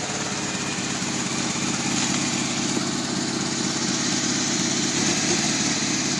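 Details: Ferrari Mondial T V8 with a rough idle, tach reading too high below 2000 rpm; slightly uneven, lumpy idle beat under a steady hiss.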